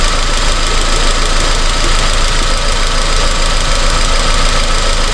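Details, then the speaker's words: 2002 Honda Civic with codes P0300–P0304 and spark plugs replaced a month earlier. Idle is lumpy, with an uneven stumble every few beats from one missing cylinder. The miss moved with the swapped coil, so the coil pack is faulty. "Yeah, still definitely missing. Oh, got worse. That means it's the coil pack."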